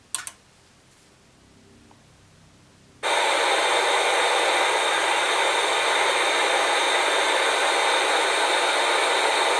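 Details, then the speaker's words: Atari 5200 with switch box and test cartridge, powered on after clearing a wire short under the RF shielding: silence, then a sudden loud, steady, toneless hiss. Static from the damaged audio circuit. "however you'll hear some static in the audio because again there's problems with the audio circuitry"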